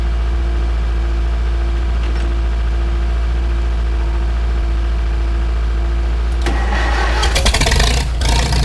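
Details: Farmall Super M tractor before engine rebuild: a low, lumpy idle with a dull knock around two per second under the exhaust, then some clatter near the end; cause of the engine knock not yet found.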